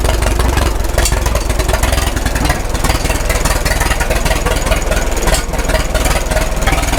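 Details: 1936 Caterpillar Twenty-Two tractor, revived after years sitting, at full operating temperature with 35 psi oil pressure: slow, even exhaust pulses with a smooth, steady beat and no misses; clean warm idle.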